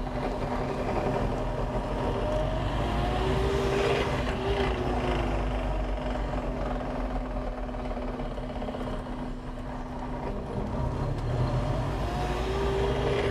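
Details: Suzuki Jimny fitted with SJ413 transfer case with 4.16 super-low gearing, while moving: steady low drone with faint wavering tone; owner unsure if transfer case or driveshaft.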